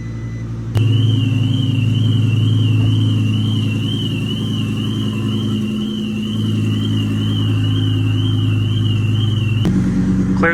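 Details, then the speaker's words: Twin-turbo Audi R8 V10 with straight-pipe exhaust, cold start after a dead battery and long storage: deep loud throbbing rumble starts suddenly and settles into steady idle with a high warbling tone above; normal open-exhaust idle, smoky. "the Cullen is not a fan of all that noise, but the R8 is straight pipe. That's why you get all that smoke in here."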